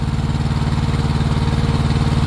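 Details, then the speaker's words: Truck APU small diesel running steady and smooth with even low thrum after belt fix, including when the A/C compressor kicks on and it speeds up; previous belt squeal at startup now gone. "no suena ya nada más queda otra vez cerrar eso y se acabó"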